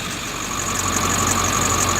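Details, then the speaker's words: 1999 Ford F-350 diesel warming up at idle before a brake test drive: steady high-pitched squeal held constant over the idle; worn serpentine belt squealing, to be replaced and pulleys checked with a stethoscope. "I don't know if you can hear that squealing, but when I come back from testing the brakes, I got a new belt we're going to put on."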